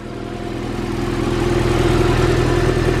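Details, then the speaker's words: A Honda EF hatch with a B17A1 swap on the stock exhaust idles steadily with a regular low puffing pulse. There is no ticking; the exhaust leak was at a header missing a nut, and tightening the header bolt followed. "so guys the car turns on no weird ticks it does have an exhaust leak right there i can hear it right there"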